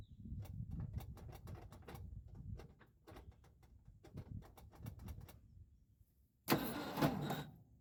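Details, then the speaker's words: 1976 Ford F-250 with Holley 600 vacuum-secondary carb, cranking after starter refit: slow uneven cranking with irregular chugs near two per second and a rough catch; owner suspects a bad spot on the damaged flywheel teeth. "okay the pranks over there's a spot in there that sounds really bad and when I was under there I noticed my flywheel teeth had damage um so I assume there's a spot really bad on the flywheel"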